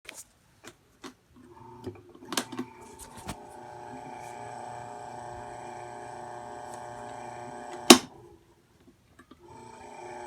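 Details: Marubishi CF 16DF electric fan, out of warranty, gives a steady, tinny buzz with a metallic ring and echoing rattle over its running hum: abnormal buzzing noise.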